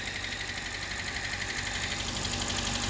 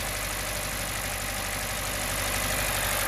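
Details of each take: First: 2017 Hyundai Elantra, 129,000 miles, after ignition coil replacement for misfire codes P0301–P0304 and rough shaking idle (engine had ingested flood water): even, steady idle with smooth regular beat, no stumble or shake, running on all cylinders. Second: 2017 Hyundai Elantra with check engine light, code P0301, engine visibly shaking: uneven, stumbling idle with lumpy beat about three times a second, cylinder 1 misfire from a failed ignition coil; engine previously ingested flood water.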